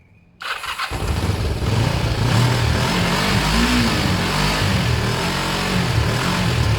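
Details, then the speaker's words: Kawasaki ER5 twin after wire cleaning, new fuel hoses and carb cleans, started on another battery after its own went flat from cranking: catches and settles into a steady, even idle with a faint lope, running normally. "so let's see this should fire up and it should seem ok"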